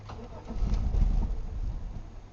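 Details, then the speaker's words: 1997 Chevy Malibu with about three gallons of fuel: brief low rumble swells for a second then sags away without idling; starts then stalls every time, theft light flashing, anti-theft system suspected. "we've got a little bit of gas in there I put about three gallons in and it's just not wanting to do anything and every time we try to start it that's what happens"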